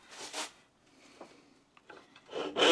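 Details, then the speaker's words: Rusty, very blunt thin turning saw blade before sharpening, sawing pine: slow, scratchy, dull rasping strokes with quiet pauses, cutting poorly, about 10 mm in roughly 30 strokes; blunt saw blade. "So, that was actually slightly better than I thought it was going to be. This is really rusty and uh I could actually see that it was really blunt."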